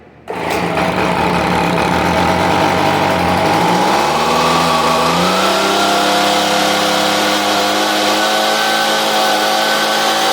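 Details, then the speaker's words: Stihl BG86 blower with loose exhaust, starting from flooded condition, carburetor diaphragm suspected: small two-stroke fires and rises unevenly in pitch as throttle opens, ragged while clearing; cause suspected, not confirmed. "hear the difference when I opened up the throttle that's normally what you do when you have a flooded condition"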